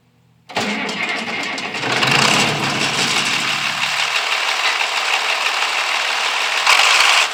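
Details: International 856 tractor, freshly fitted straight pipe with no muffler (shortened by a foot): cranks briefly, catches, then settles into a loud, raspy open-pipe idle with an even beat; normal, healthy idle.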